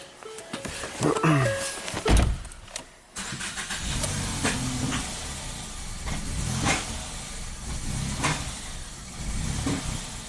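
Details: 2017 Ford Focus after a used DSG transmission swap, MAF reading 0 g/s, then started with the air pipe removed and MAF unplugged: lumpy, uneven idle with sharp pops, backfiring into the intake manifold. Rough running and backfiring, cause unconfirmed.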